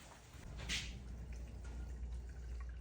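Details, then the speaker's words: Snowblower carburetor leaking fuel again after reassembly: irregular drips and a short splash over a faint hum. Needle seat was first suspected, but the cause proved to be a sinking float. "All right, the thing started leaking again after I put it together. So, one of two things is happening. That seat is leaking, or maybe I'm wrong about the..."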